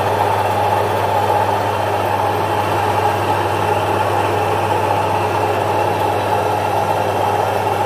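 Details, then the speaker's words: Domestic 1 HP single-phase stone flour mill grinding jowar after the stones are brought back to their tightened position, which changes the sound: constant hum and grinding rush with no knocks or speed dips. Normal grinding. "अस एक वेगळा आवाज म्हणजे दात वगरेला आवाज आपल्याला इथे येईल हे पहा आता आवाज येतो"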